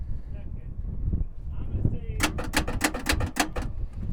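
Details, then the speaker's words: Ford Ranger: about eight sharp starter clicks in quick succession with no cranking, belts trying to turn; engine believed frozen; starter clicking, engine will not crank. "it's cranking strong it's strong it's like or not crank it strong but it's clicking yeah as well this thing's even trying to move"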